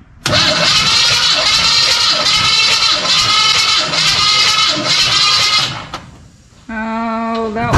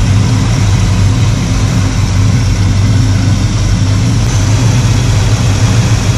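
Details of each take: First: 1985 Chevy C10 with 307 small block during compression testing (about 130–150 psi per cylinder): slow, labored cranking with an even chug about twice a second and no firing, battery still around 75%; slow cranking. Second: 1985 Chevy C10 with a 307 small block after carburetor tuning, all vacuum sources plugged in: deep steady rumble with no misses, knocks or hunting; normal idle.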